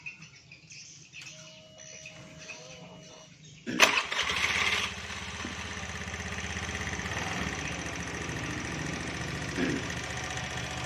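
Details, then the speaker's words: Scooter (roller-type CVT) idling with a light, repeated "itik itik" ticking under the engine note, serviced a week earlier (piston) yet still noisy; variator rollers found to be two mismatched types, causing the ticking. "ini Lor motor ini Suaranya berisik ya itik itik itik itik itik itik itik itik begitu"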